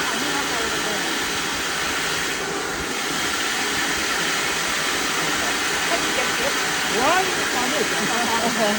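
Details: Rice mill after repair, with a heavy-duty milling head and the motor fixed, milling paddy: a steady, even rushing whir with no knocks or rattles. It runs normally.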